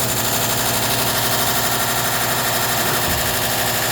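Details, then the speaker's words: Cosori food dehydrator running a batch with a loud, steady buzzing rattle over its fan noise; owner unsure whether it's the fan or, as read online, the coil, unconfirmed. "I don't know if that noise the fan. I read it might be the coil, but we'll find out after I do this batch."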